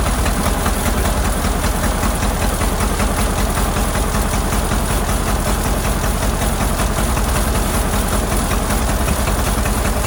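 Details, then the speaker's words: Ford Model AA doodlebug after new carburetor: uneven lumpy idle stumbling two to three times a second; plug shorting shows cylinders number three and four at the rear not firing well, possible stuck valve suspected. "well as I suspected there's something going on with a couple of cylinders I used a screw screw driver to short out the plugs best I could it looks like something on the back end back here on number three and number four aren't working too good"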